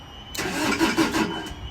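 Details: Niftylift HR21 SP64 hybrid with a Kubota engine that would not crank: once the alternator L-wire ground is supplied, the starter turns it over in a short, even churning burst.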